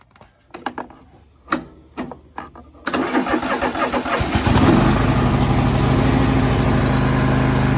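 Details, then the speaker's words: John Deere L130 mower after exhaust muffler replacement; a few clicks, short crank, then steady even idle with much quieter exhaust, no knocks or rattles, slight steam from new coating; normal idle. "Oh yeah, that's a lot quieter. That's so much quieter than it was."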